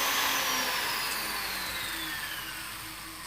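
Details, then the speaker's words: Jeweller's flex shaft, 18,000 rpm maximum, run by foot pedal: high-pitched motor whine at top speed, pitch slowly dropping as pedal eases off; normal operation. "so bearing in mind, you know your position of your foot on the pedal, you can hear that sound. So 18,000 is the fastest."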